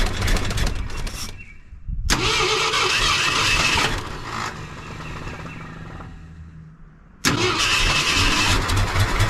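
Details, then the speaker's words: Wrecked 1974 Ford F100 parked for years, running on its own fuel pump from a small temporary tank: catches, surges and sags into a shaky half idle; carburetor bowl gasket apparently leaking and inline filter leaking fuel. "Okay, so it's kind of half idling. I'm dumping fuel everywhere."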